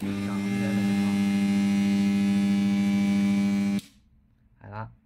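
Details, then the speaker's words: Energized AC contactor with a coil that checks normal: a loud, steady low hum for about four seconds, then it cuts out. Likely poor contact between the moving and fixed magnetic cores. "一般来说正常的接触器吸合之后应该是安静的但如果你听到嗡嗡声很多时候不是线圈坏了是里面的磁芯接触不好"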